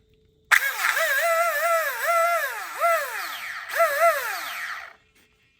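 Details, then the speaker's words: Traxxas Slash RC car the day after a first track run, powered up on the bench: motor whine surges and sags in bursts with a rough rasp, spinning free with no drive. Stripped gear; teeth to be counted before ordering parts. "So from that sound, I believe everybody can figure out what my problem is. I'm gonna go ahead and do a quick disassemble on this because I've got to count the teeth on that gear before I can order any parts."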